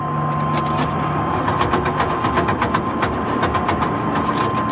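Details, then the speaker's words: Old Chevy single-cab truck at auction preview, non-running, with fresh oil and no battery, jump-started: uneven metallic rattling and clunking from inside the engine during cranking, and it never catches; cause unknown. "I heard lots of rattling and clunking coming from inside the engine."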